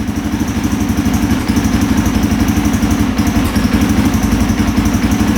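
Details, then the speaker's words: 2003 KTM 625 SXC Supermoto, stored, previously started then died instantly; after a carb clean it starts on choke and warms up with a steady, quick, even single-cylinder thump at about four pulses a second, now idling normally. "All right, we're gonna choke it. that sounds a lot better."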